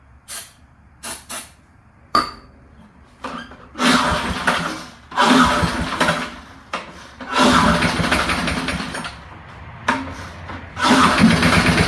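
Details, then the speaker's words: Early-1970s BF Goodrich push mower, barn find, freed-up seized engine, on starting fluid: several short sputtering catches, then the single-cylinder fires and runs in uneven bursts; revived engine starts and runs. "get me some uh laughing gas to spray in there and yeah she's going to run how about that give me one more one more shot of gas here"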